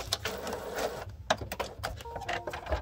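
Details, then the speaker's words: HP Photosmart 7520 showing an out-of-paper error with paper loaded: mechanism whirs and clicks through its feed cycle in short bursts but never draws a sheet; dirty rollers or faulty feed gears suspected. "so of course if i press ok let's say i'm trying to print again hear that noise it's trying to feed paper"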